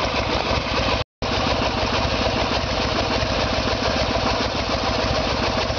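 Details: Harley-Davidson Evolution Sportster, 1994 bike with 1996 engine, idling during timing check with two timing dots centred in window: steady, even V-twin idle with regular lumpy beat, no knocks or rattles; the way the bike came when the carburetor-related troubles first started.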